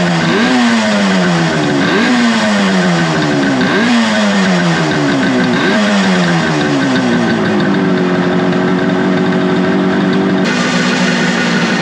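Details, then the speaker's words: Suzuki two-stroke motorcycle after second carburetor cleaning, vacuum port for the vacuum-operated petcock covered by finger to stop a big vacuum leak: crisp blips, revs rising and falling cleanly, settling to steady even idle; runs healthy. "I was keeping my finger over a little vacuum port here. This vacuum port comes up to the tank, and it's a vacuum operated petcock. So I was like, well, that's definitely a big vacuum leak, so let me go ahead and cover that up with my finger. And it ran much better."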